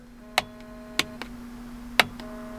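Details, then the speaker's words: Combine forward/neutral/reverse selector switch, brand-new replacement pushed in: crisp, sharp detent clicks over a faint hum. The old switch is loose and worn and would pop out of forward over bumps. "the click to that. And then this old one is just, it's very loose and wore out."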